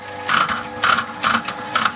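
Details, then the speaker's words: 1979 Aristocrat Esprit 4-reel mechanical slot machine, reels free-spinning with no computer or solenoid control: four crisp clacks about half a second apart as each reel lands cleanly, no grinding or dragging; normal reel spin and stop. "okay, they spin by themselves. It's not computer controlled, solenoid controlled, nothing. But how good do they spin?"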